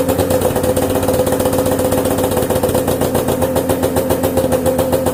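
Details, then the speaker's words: Snowmobile with a freshly rebuilt, newer two-stroke engine on its old exhaust; crisp, even popping at a steady idle, about four beats a second with no misses, so it runs healthy. "[music] sounds like it runs pretty good. This light does have a cool sound going from the newer motor and the old exhaust."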